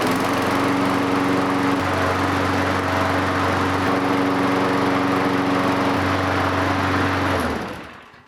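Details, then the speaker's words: Lawnmower, not winterized and sitting all year, primed, topped off with oil and fresh gas: it fired right up without ether and runs steady and even with no misses or surging, then shuts off cleanly; healthy. "so we got really lucky with the lawnmower over there no ether no problems topped it off with some oil put some gas in and it fired right up"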